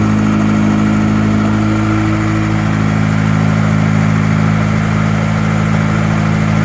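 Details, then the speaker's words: Freshly built Honda B18B engine on first start, with a little burn-off visible: steady, even idle with a smooth low drone and no knocks, ticks or misses; sounds healthy; normal idle. "All right, well, it fired up. Looks like we got a little burn off. So far, it sounds healthy."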